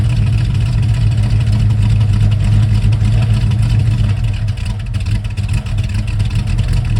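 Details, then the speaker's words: 1971 Mercury Comet GT V8 with roller lifters and a small cam, running off the trailer: rough loping idle, heavy low chug and uneven clacking, down on power; suspected collapsed lifters or bad cam, metal and needle bearings found in the oil. "I think it has collapsed lifters, possibly a bad cam. It's not flat tappet, it's roller, but it's running bad, it's chugging, it's down on power, and it clacks really bad."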